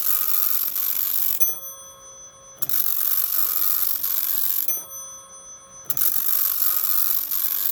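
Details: Teletype Model 43 teleprinter, serviced and lubricated, on its printer test with a new-old-stock ribbon fitted and the lid switch pressed: rapid chattering print bursts of about 1.5 seconds, short quiet gaps and a faint motor hum; normal print test operation.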